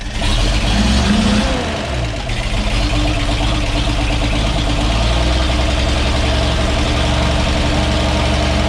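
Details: 1942 Blitz truck being revived, after rebuilding the carburetor and cleaning the air filter: brief blip, then a steady, even low idle with no misses or knocks; idling much better.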